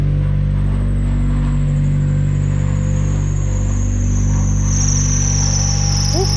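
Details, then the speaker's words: A wrecked 2000 Mazda Miata (left front damage, 156,000 miles) idles steadily and smoothly otherwise, with a thin high squeal over it, likely a slipping accessory belt. "don't mind the belt squeal, there it is. Running well, fired, wow."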